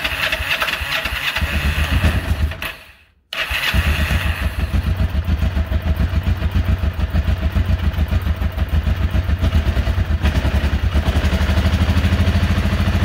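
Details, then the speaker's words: 1994 Kawasaki Vulcan 500 twin, 12,266 miles, second start in 3 years, cold start on choke; cranking stutter, brief cut, then uneven lumpy idle; slow cold start, cause unconfirmed. "see what it does all i have to say i mean both sides are getting warm it seems like it takes it a second"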